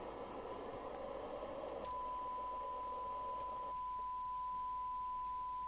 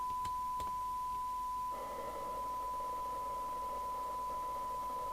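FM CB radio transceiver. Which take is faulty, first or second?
second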